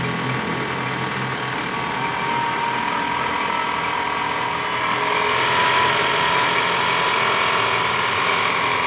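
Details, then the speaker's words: 2010 Toyota Camry ACV40R, 2AZ-FE petrol engine: very harsh engine noise, a gear rattle and steady whine, caused by a loose balancer shaft with worn gear teeth leaving play against the crankshaft gear. "Nah pada kasus Kali ini terjadi bunyi mesin kasar ya bunyinya sangat kasar nah ini yang diakibatkan oleh balancer shaft ya"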